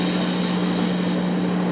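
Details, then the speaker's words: Califone 3670AV-1 classroom listening center powered on with volume fully up: constant 60 Hz mains buzz under heavy hiss at the output. Hiss drops with the tone control at low, buzz stays. Owner suspects it needs a belt and possibly capacitors. "When I power this on, have a listen to the noise coming from the output. There's a 60 Hz buzzing and a lot of hissing."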